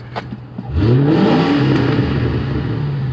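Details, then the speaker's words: V8 in a Crown Victoria, after new plugs and replacing the bad cylinder 2 fuel injector (P0302/P0202), blips up from idle and settles into an even, steady run with no misfire. "i am the master no more misfire"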